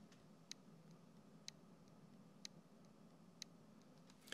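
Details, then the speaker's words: HDD from Lenovo IdeaPad Y580 laptop, connected via USB, mic beside the drive: light sharp clicks about once a second over faint hum; likely spindle trying but failing to spin up. Hard drive clicking. "sowie hören sogar ein leichtes klacken hier so ich lege jetzt mal mein Mikro direkt hier neben die Festplatte sowas wie hören ist wahrscheinlich dass die Spindel versucht anzulaufen aber es leider nicht schafft"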